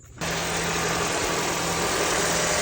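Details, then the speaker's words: Honda after serpentine belt squeal repair (squeal previously occurred on acceleration, tensioner suspected), engine idling: smooth even hum with no squeal or chirp, smoother than before; normal idle, accessory drive healthy. "Sounds good. Sounds good. Sounds smooth. Very good. Smoother than before."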